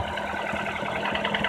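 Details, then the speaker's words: Nissan Teana J31 2.0 QR20DE, 180k km, 5W-40 oil, at cold idle: light quick knock that grows until warm-up, around 1500 rpm; chain and tensioner replaced, VVT valve cleaned, valve clearances in spec, coil disconnection no change; cause unknown. "пробег у нас 180 на холодную появляется характерный стук и продлевается вплоть до момента прогрева двигателя"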